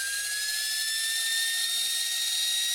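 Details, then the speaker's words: Cheap Welling appliance motor running with a high-pitched, slowly climbing whine over a rough hissing rasp from worn bearings; it spins slowly with almost no torque. "You can hear the bearing issue. Torque. Pretty much no torque. Doesn't spin very fast, doesn't have much torque."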